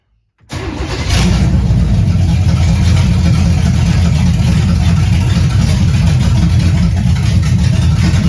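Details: 1978 Camaro 383 stroker with Vortec heads, first start on a simple temporary fuel system, timing advanced about five degrees, gas pedal not connected: fires quickly into a deep, steady V8 idle with slight lope, no knocks or ticks; normal idle.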